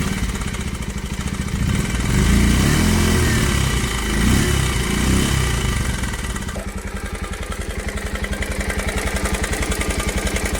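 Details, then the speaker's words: Bajaj Pulsar single-cylinder bike idling in neutral after self-start: loud sharp metallic "kat kat" ticking over each beat from a badly worn, slack timing chain, which is to be replaced. "इस Pulsar bike के timing chain इतनी बुरी तरीके से आवाज़ कर रहा है कि जिसका कोई जवाब नहीं है।"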